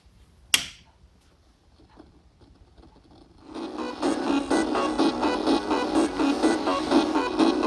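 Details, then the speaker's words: Amiga 1200 after a full recap: music still plays with a rough, crunchy, gritty edge on every beat and a funny speaker noise at power-on. Another fault remains, a lost -12V rail starving the audio. "definitely still not right so I have some other fault"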